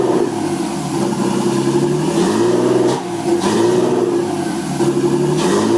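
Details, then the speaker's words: Nissan RB20DET in a 240SX S13 build, second start after rewiring the harness, no mass airflow sensor fitted, vacuum lines possibly not all plugged: smooth, even revving with no knocks or ticks, just a high idle. "I didn't expect it to you know just fire it up and run the Idol being too high it's it's like whatever there's no mass airflow sensor on the car"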